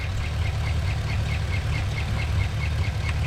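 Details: 2012 Camaro SS LS3 V8, about 160k miles, at idle: quick high chirping squeak about five times a second, seemingly from the passenger rear, louder with the oil fill cap off; belt and pulleys ruled out, bad lifter found.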